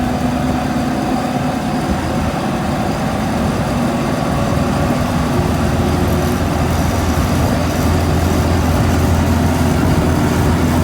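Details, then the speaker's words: M151A2 military jeep (Mutt) driving after greasing propeller shaft U-joints, suspected cause of vibration: even engine and drivetrain drone, no clunking or grinding from the shaft; driveline much quieter. "Much quieter. It's gonna be all right."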